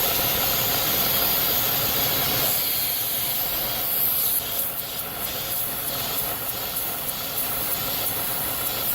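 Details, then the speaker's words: 3.6 L petrol engine, warm, idling higher than normal (normal about 700–800 rpm), check engine light on with P0507; loud steady hiss from a vacuum leak at the PCV valve, changing as hoses are moved. "that's it all right ladies and gentlemen that is why this 3.6 L is idling higher than normal I have a vacuum leak right there at the PCB valve"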